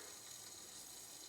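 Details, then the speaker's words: Hot water pipe with a hole under the concrete slab to a guest bathroom, water on: faint, steady, unchanging high hiss below the floor with slight knocking sounds; water then seeps up from the concrete. "okay I can hear it going it's got some knocking sounds of some sort but slightly yeah okay the water is now seeping"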